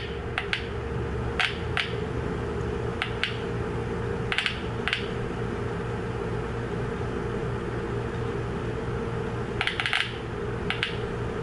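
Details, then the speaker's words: Volvo VN/VNL semi truck instrument cluster warning buzzer speaker, tested on the bench with a 9-volt battery after its dried-out glued connection was repaired: crisp single clicks, often in pairs, over room hum; good speaker, good connection, normal operation. "so now we know this is 100% good speaker good connection because I just checked it with my 9-volt batteries"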